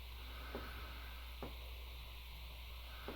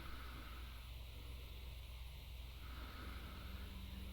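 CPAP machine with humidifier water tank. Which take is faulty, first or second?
first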